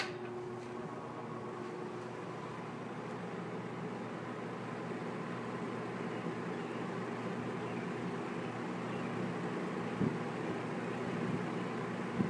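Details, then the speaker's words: Kenmore Roll-O-Matic reversible box fan, probably from the early or mid 1960s, 1/6 hp Westinghouse motor, in intake mode, switched to medium speed: a smooth, steady airy whoosh with a faint low hum and no rattles or ticking. It runs normally. "That's on intake mode. Go to medium."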